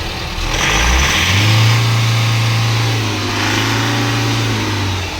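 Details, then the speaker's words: Force Motors diesel after fixing injector (nozzle) fault P0204 and cleaning ACM connector, previously not taking throttle: revs climb smoothly from idle to a steady raised speed; normal revving. "RPM भी बिल्कुल हमारा सही उठ रहा है और सारा condition एकदम सही है और रेस भी हो रहा है और कोई दिक्कत नहीं है गाड़ी में।"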